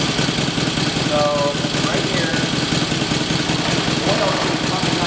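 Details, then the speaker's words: 1954 Victoria Bergmeister V35 that sat for years, with a suspected oil passage blocked by excess RTV sealant, started on choke with the carb tickled: a loud, rough idle with a dry, busy top-end clatter. Top-end oil starvation. "i can show everybody what i mean when i say we're not getting enough oil at the top end"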